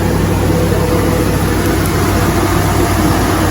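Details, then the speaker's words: 2005 Chevrolet Silverado with intermittent hot-blowing AC, after reconnecting high-pressure switch wiring and an overnight battery-disconnect computer reset: heavy, even idle with steady compressor drone, no squeal or rattle; AC compressor running normally. "yep the compressor's running we have AC can you believe it"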